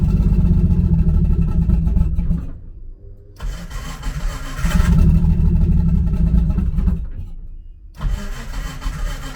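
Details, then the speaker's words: Nissan S13 on E85, not started in a while, on jack stands: engine catches and revs roughly, nearly dies twice before picking up; hard cold start on E85, fuel pump heard priming. "oh that e85 cold start yo 85 is a [ __ ] to start"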